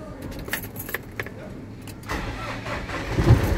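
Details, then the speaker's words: Iveco Vertis 90V18HD diesel truck after reinforcing battery-negative ground to starter, which had caused heavy slow cranking; starter spins briskly and engine catches promptly to steady idle; normal cranking and start after repair. "deixe-o funcionar mais uma vez o olá ele pega gostoso e ele pega rápido"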